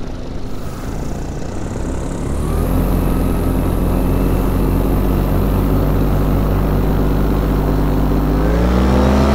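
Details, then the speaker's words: Atom 80 paramotor two-stroke, new motor that ran great for six hours: buzzy drone lifts in pitch, hangs, then climbs again instead of holding steady; surging rpm, owner suspects fuel starvation, not confirmed. "they're still doing it I don't know it definitely sounds like fuel starvation it's not getting enough gas in it which is odd because it ran great for six hours without an issue"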